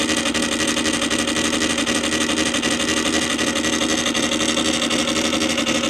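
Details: Columbia Graphophone AH after a motor service in which both dry springs, with grease dried to powder, were cleaned and re-lubricated, running with no record: even, rapid gear whir with a steady tick about four times a second and no hitching. The spring motor runs normally.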